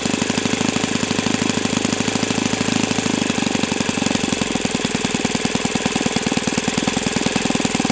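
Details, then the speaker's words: O.S. FS-91S II model four-stroke engine, first run on a test stand on a humid 78°F day: a crisp, rapid, even firing beat holding a steady pitch with no misses or rattles. It runs healthy and feels freer at operating temperature. "Okay. Wow. So, that's a nice engine. Very nice."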